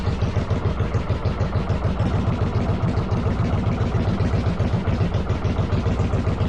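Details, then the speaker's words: 1995 Yamaha Virago 1100 V-twin on half choke after cleaning vacuum lines and EGR-type valve: loud, lumpy, slightly irregular beat at low revs; owner suspects carbs not synced, doubts timing, says it ran better. "makes me think the carbs aren't synced I don't think it's a timing issue it definitely ran better which is really interesting"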